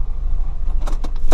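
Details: Car after exhaust flange nuts and bolts tightened to 42 lb-ft to fix a ticking exhaust leak: steady low engine drone with no ticking or puffing, only keys rattling; exhaust now sealed.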